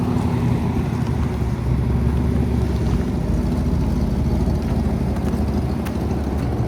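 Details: 1995 Mustang GT 5.0 V8 revived after new fluids and a belt bypassing the locking smog pump: strong, even lopey V8 rumble with no stumbles; runs smoothly and healthy.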